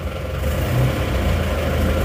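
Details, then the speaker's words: Isuzu Panther 2.5 diesel on its first start after reassembly: liners reused, cylinder head gasket and oil filter replaced, fresh oil. Steady low idle with an even beat, no knocking or misses, reasonably smooth. Normal diesel idle. "Kalau agak ramah seperti ini sudah naik ternyata mesin juga tidak sebegitu kasar walaupun"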